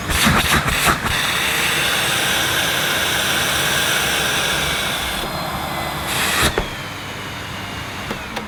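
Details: Panasonic MC-E862 cylinder vacuum, new-in-box, started on minimum power: motor starts cleanly into a steady, even rushing whoosh with no rattles or surging, then winds down smoothly at switch-off; normal running.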